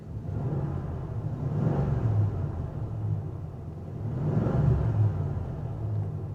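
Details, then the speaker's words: 1988 Mercury Cougar XR7 V8, warm after a 10.7-mile drive, temperature just over 190, oil pressure good, no overheating: deep rumble swelling twice under throttle, no knocks or misses; runs great. "she runs great there's your temperature right there sitting just over 190."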